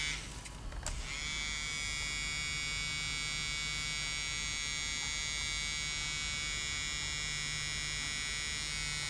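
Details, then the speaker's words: Floppy drive of an old Toshiba Satellite Pro CDT440 laptop, opened, disk inserted: steady high-pitched motor buzz, no rising spin-up, motor only vibrating. Stretched drive belt slipping and not turning the disk; seems to need tension. "i don't think it's spinning i think it's only well vibrating"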